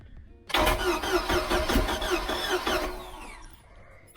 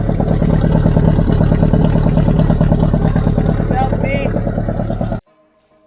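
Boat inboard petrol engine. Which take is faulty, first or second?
first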